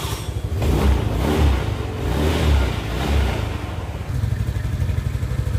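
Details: Suzuki Nex scooter, CVT area; smooth at idle, but a rough, low growl swells each time the throttle opens and settles back; CVT to be disassembled and checked.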